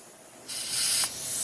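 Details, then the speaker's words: Powermatic Timesaver sander: a sudden steady hiss once air is applied to the top tension roller's air cylinder, continuing without letup; air leaking around the end seal, to be fixed by removing the snap ring and replacing the seal. "bly can hear that but it's leaking somewhere around the seal there on the end there's a snap ring on that right there so they can take that out and just replace the seal"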